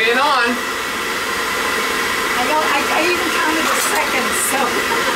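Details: Riello oil burner on an oil boiler unserviced for 5 years, which kept cycling on and off; fired after service with a small nozzle. A steady, even roar with no surging or cutting out; it lights and stays running with a healthy flame.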